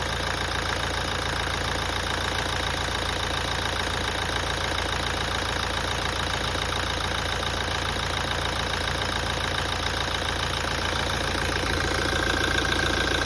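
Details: 2017 Toyota at idle after a major service. Light, regular tapping at roughly three to four beats a second over an otherwise steady idle: an abnormal knock from inside the engine.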